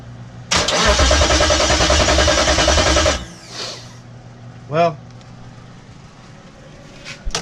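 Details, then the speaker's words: 98-03 Durango/Dakota with a DIY Hemi swap, during starter and SKIM wiring, ignition not yet working and no fuel delivery: starter churns steadily for about 2.5 seconds but the engine never catches; cranks, no start. "I haven't gotten the ignition to do it yet but I know it turns over um it's not getting fuel"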